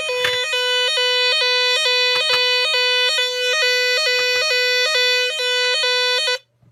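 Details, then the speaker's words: Nugelec NUG31218 type 4 fire alarm panel, mains cut, battery flat: loud two-tone wail alternating about twice a second, pattern shifting partway then cutting off; owner unsure if the change is intentional. "Elle sonne d'une manière et puis après d'une autre. C'est peut-être fait exprès."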